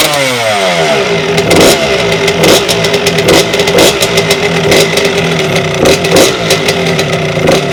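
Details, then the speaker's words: 1992 Suzuki RM125 two-stroke dirt bike, first start after a five-month rebuild with the carburetor newly installed: crisp crackle with sharp throttle blips about once a second, revs climbing and dropping cleanly; normal healthy running. "it sounds good it sounds really good hi I definitely need to race the idol"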